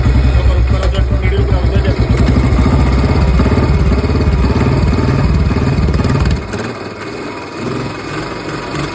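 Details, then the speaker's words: Old-model Bullet single-cylinder motorcycle, just bought, brought in for an engine noise: loud, low thump with a rough rumbling undertone, quieter off throttle; mechanic says the bearing set is noisy and the engine will be opened. "ਜੀ ਕਰ ਰਿਹਾ ਮਤਲਬ motorcycle ਦਾ ਇਹਦਾ ਬੇਗਨ set ਬੋਲ ਰਿਹਾ ਠੀਕ ਹ"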